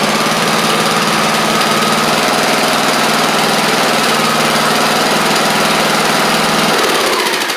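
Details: Craftsman YT4000 riding mower getting an engine swap (original 24 hp Briggs apparently ran low on oil), warm-up run: small single-cylinder holds a steady, even drone for several seconds, then shuts off cleanly; runs pretty good, normal running.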